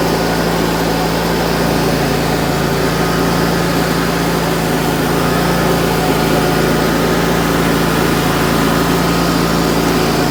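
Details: Wright Stander X stand-on mower, just finished restoration/revival and rewired with a substitute ignition switch, running outdoors: steady, even engine note at constant speed, no knocks or misses; normal running.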